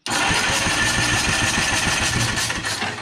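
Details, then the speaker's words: 1954 Caterpillar No.6 track loader found in a barn: its pony motor cranks evenly at about three and a half compression beats per second with a slight starter growl; normal cranking. "And then we've got our gauges down here for the diesel, but that actually sounds really healthy. The starter, it's growling a little bit, but the motor,"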